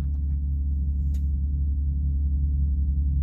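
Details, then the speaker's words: Ryobi 2300-watt portable generator strapped in a box on a semi truck, auto idle off, at full throttle, heard from inside the cab: steady even low drone, no surging or misses; running normally. "can definitely hear it more with the auto idol or in the off position but even with the with the noise level it's at now it's uh it's definitely still a lot quieter than any"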